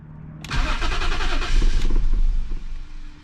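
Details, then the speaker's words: BMW M50 engine from an E34, donor for an E30 swap, after new spark plugs and coil packs refitted; short crank, catches and stumbles unevenly toward a shaky idle; owner suspects bad MAF, runs with it unplugged, misfire remains. "okay nothing there okay so yeah something is still not happy with this car looks like i got to do some further digging"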